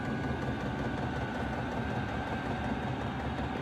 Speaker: This will go up to 5.4 hertz. And you can hear it now. It's really kicking in.